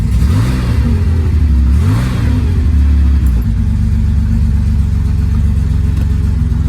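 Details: 50-year-old air-cooled Porsche 911, finally starting: the engine catches, blips up twice with revs rising and falling cleanly, then settles into an even, steady run. Normal engine running.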